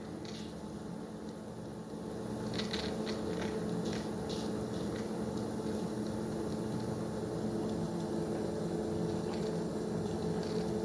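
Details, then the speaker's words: Drummond 1/4 HP submersible sump pump (Harbor Freight) with homemade hose fittings, test-running outside through a hose: steady low motor hum with faint water gurgle, even throughout; pumping water normally. "And worst comes to worst, if something does wind up making it in, I'm hoping that it'll be able to launch itself out if we ever trigger works. Looks like we're pumping water."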